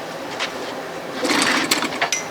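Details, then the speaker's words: 1957 Montgomery Ward Sea King 5 hp two-stroke outboard that sat in a shed: a short ragged second of popping with a little throttle, then it fades out. It wanted to run but did not keep going; choke setting uncertain. "oh yeah it popped off I heard it popped off it was wanting to run"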